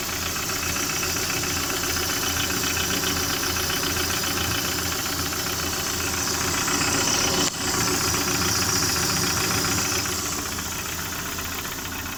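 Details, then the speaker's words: Lada Priora engine at idle: sharp regular tapping about four per second over steady idle; owner asks if piston group, says no oil consumption and pulls well; engine knock, cause not pinned down. "Застучал что-то у меня двигатель. Может, кто-нибудь знает, что это?"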